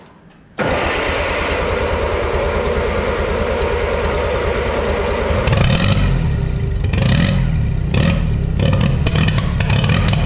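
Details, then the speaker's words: 1955 Oliver OC3 Cletrac crawler tractor, sat 20+ years, fitted with a Farmall M IH distributor and temporary coil: engine bursts into life then runs lumpy, surging and sputtering; timing judged way off and carburetor float stuck, carb must come off. "just from hearing it timing is definitely way off and our float is stuck so the carb does have to come off"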